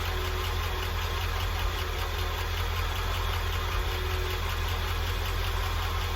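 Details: International truck being diagnosed for an engine noise, started with a cover removed: steady idle with a light, fairly loose tick about two or three a second on top; suspected valve train, perhaps a lifter.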